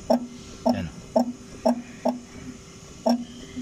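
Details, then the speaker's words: Chevrolet Spark front suspension, wheel removed, rocked by hand: six dull clunks about two a second from thinned rubber on the worn upper strut (shock) mounting; shock absorber also leaking, both to be replaced. "Yun oh manipis na kasi yung pinaka shock mounting niya sa taas yung rubber niya mga ka- GM kaya pag manipis na siya magkakaroon na siya ng alog"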